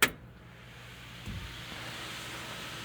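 A switch click, then a soft airy whoosh that builds and settles into a steady hum; the electric fan is spinning up normally.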